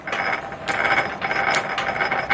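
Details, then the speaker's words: M-type treadle lathe turning an old Renault driveshaft through the back-gear on a 5 thou finishing cut: dry clattering gear chatter in bursts with each treadle stroke over steady cutting hiss; gears to be oiled. Gear meshing noise. "The noise you can hear is the gears engaging. I might put some oil on those, see if we can quieten them down a bit."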